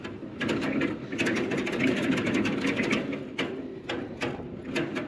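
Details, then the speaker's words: LG ductless mini-split outdoor condenser on a roof: the fan clatters with rapid irregular knocks and rattles because its blade loosened off the shaft and broke. Fixed by fitting a new blade. "oh broken blade right there closing at the spin weird"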